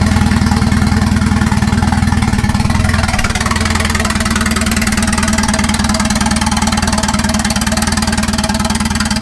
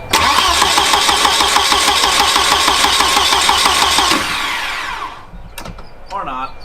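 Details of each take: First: Turbo wagon on a Microsquirt standalone harness, ignition timing fixed at 10 degrees, no exhaust fitted: steady, even idle with a consistent low drone, no stumbling, music in background; normal idle. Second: Turbo wagon on a Microsquirt standalone harness, testing with added resistors: starter cranks steadily about three turns a second for four seconds, never catches; seemingly no tach signal at all; crank no start.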